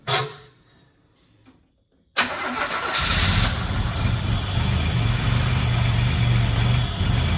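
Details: Buick Grand National with rebuilt 140 block and fresh cam, first start after nearly a year: short pause, fires at once, settles into a firm even idle with a steady low beat; cooling system not yet fitted, so only a short run.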